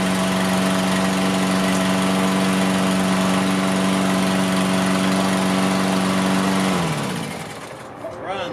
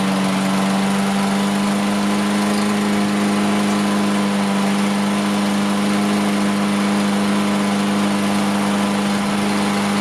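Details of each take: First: Toro Recycler AWD mower, Briggs & Stratton engine, first start after carb cleaning: small single chugging at a steady low idle about four beats a second, then shutting off; owner feels factory idle is too low, raises it via bendable tab. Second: Toro Recycler AWD mower, Briggs & Stratton engine, after raising idle by bending the adjustment tab: strong even hum at fixed pitch, no surging, misses or hunting; idle came up, sounds a lot better. May smoke while oil burns out of muffler.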